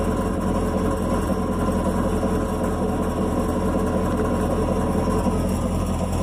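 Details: Chevrolet Camaro SS V8 at idle: loose, uneven rattle about two to three per second; exhaust valve checked with a stick showed no vibration, owner suspects the AFM valve, cause unconfirmed.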